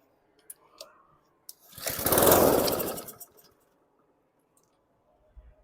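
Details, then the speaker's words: Lawn mower, fuel valve on: catches after a pull, revs about a second and a half then dies; starts and stalls, carb clean planned. "Okay, without even having to motivate it, start and stall. We'll do carb work on this, clean the carb out."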